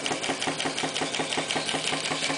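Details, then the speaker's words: Clarkson inverted model steam engine with Stephenson valve gear, run on steam from a kit-built PMR boiler for the first time: crisp, even exhaust chuffs about five or six per second, no knocks; quieter and slower than on compressed air. "it runs a little bit quieter um and also it runs slower which probably due to the expansive effect of steam rather than the harshest of the compressed air"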